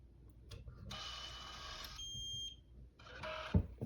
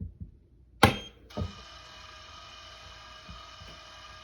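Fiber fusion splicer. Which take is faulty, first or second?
second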